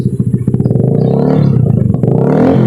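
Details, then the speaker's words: Honda Beat FI scooter revved after a pulley replacement to fix a worn crankshaft caused by a loose crankshaft nut; the engine blips and settles cleanly with no scraping or rubbing against the CVT case. Normal revving. "Aman ya? Oke. Aman, nggak ada mentok."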